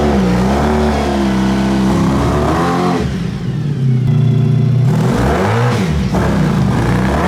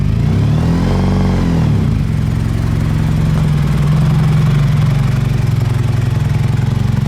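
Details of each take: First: Honda VF1000 V4-powered buggy, driven to check regained power: strong, clean revving climbing and falling smoothly through the gears with no stumble; owner thinks it runs on all 4 cylinders but isn't sure. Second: Honda VF1000 V4-powered buggy started after sitting for a long time: lumpy, loping low idle with little pull, hesitating on throttle; only firing on two cylinders, hence no power.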